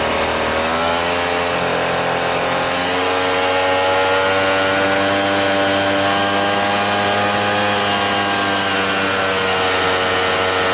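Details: RedMax EBZ8050 two-stroke backpack leaf blower running after new piston rings installed to fix no compression, following very hard starting. Steady high drone with slowly shifting pitch, holding speed evenly: normal running with compression restored.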